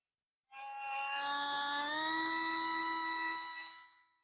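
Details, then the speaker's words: Revell Lion RC boat brushed motor after overheating: high whine climbs in pitch as pressure is put on the brushes, then winds down; coils show continuity, commutator deformed by overheating, brushes likely bouncing; motor speed changes with brush pressure. "them you might be able to hear the note changing the motor accelerates when I put some pressure on the brushes"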